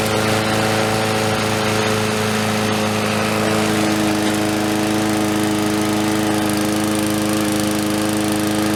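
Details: Murray lawnmower with a new spark plug, fresh oil and fresh fuel, primed three or four times (surging would have meant a new diaphragm); a steady, even engine note holding its pitch with no surging or hunting: normal running.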